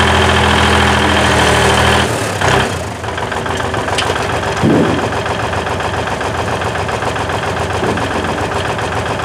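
Cold V8 fires, then settles into a steady, even idle with a deep regular beat and no knock or miss. Healthy.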